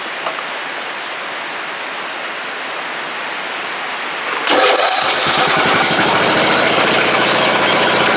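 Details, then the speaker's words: 14.5 hp Briggs small engine after carburetor experimenting and raised breather snorkel, valves still to be adjusted; quiet hiss, then it catches and settles into a fast, even exhaust beat; running healthy. "inside that actually sounds pretty good I got to shut it off though cuz it is like 12:30 but it runs good sounds good looks good"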